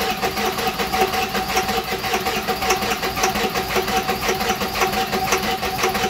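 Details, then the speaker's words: 7.3 Powerstroke (Navistar T444E) diesel, stored almost 2 years, after cleaning the relay connections: steady rhythmic cranking near two beats a second, no catch, smoke; close to starting, starter needs a rest. "oh we were close that starter is probably gonna need a break here pretty soon"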